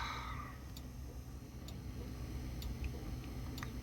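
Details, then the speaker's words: 1973 Dodge D100 with intermittent left turn-signal indicator: quiet, even flasher clicks a little under once per second over a low hum; flasher cycling normally, blinkers working. "You can hear the flasher, and the blinkers are working."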